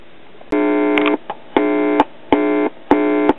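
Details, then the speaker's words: 1981 RCA 12-inch black-and-white TV with lost sound, suspected bad NTE712 sound IF/driver IC: four clean half-second buzzes through the speaker on finger-probe test of a low-voltage area, showing the final audio output stage works. "as you can hear we're getting a buzz so that tells us that the final output stage is working"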